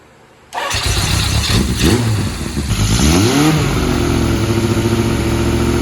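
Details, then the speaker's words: 1980 Kawasaki KZ1000G (Z1 Classic) motorcycle, carb sync checked as fine: revs rise and sag unevenly, idle hunts and stumbles; owner suspects a wrongly set valve is starving it of fuel, not confirmed. "i think i i've got this valve wrong and i'm starving it out of gas"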